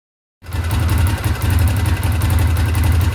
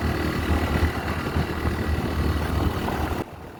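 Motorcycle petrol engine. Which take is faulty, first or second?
first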